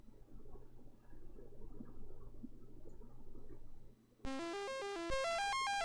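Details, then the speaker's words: Commodore 64 breadbin on test harness running dead test sound test: quiet hum, then clean stepped beeping tones climbing in pitch, steady and undistorted; sound chip output working normally. "okay that's dead test and as you can see the video is working well and you could hear the the audio is working well as well"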